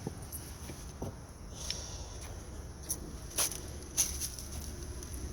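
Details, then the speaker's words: 2013 Honda Civic clicking over bumps and in turns: light irregular plastic clicks from loose plastic lug nut caps, wiggled by hand on the parked car's wheel. "it's basically a plastic hubcap lung nuts have this little rubber washer on it and when you tighten up the lug nuts the washer is supposed to push"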